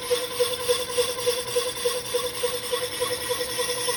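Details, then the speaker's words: Resurfacing an old Willys Jeep clutch pressure plate on a lathe with faster power feed and a vise strip added: a steady mid-pitched ring pulses about three times a second as the tool cuts. Still heavy tool chatter. "to tell if that's chatter or if that's just sound from it cleaning up the existing chatter find out in just a second here yeah still chattered quite a bit"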